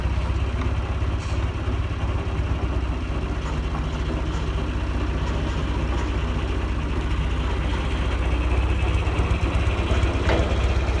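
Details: John Deere 2040 tractor diesel idling: fast, loose rattle over the engine's steady low knock. Worn water pump bearing lets the shaft visibly wiggle; the water pump is to be rebuilt.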